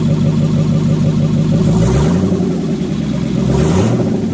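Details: Mercedes M119 V8 running cold on its first start after the engine install, open exhaust manifolds with no exhaust: a loud raw rumble with two quick rev blips that rise and settle back, running evenly; normal.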